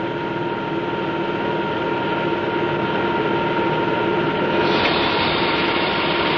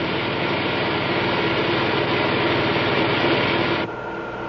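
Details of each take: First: The pressure is low and the propeller RPM is constant. Notice the cavitation on the blade faces as well as in the tip vortices. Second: Model propeller at constant rpm as ambient pressure is raised: churning rush with crackle fading and tone settling lower; cavitation on blade faces and tip vortices almost suppressed.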